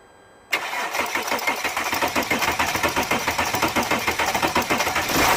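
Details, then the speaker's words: Mercedes ML320 CDI W164 OM642 turbo diesel cold start: steady starter cranking, even compression pulses about 3.5 per second for several seconds before catching; owner replaced all six glow plugs, code 2270-4, suspects glow plug controller damaged; smokes briefly after starting. "so yeah the starting problem that's what it is"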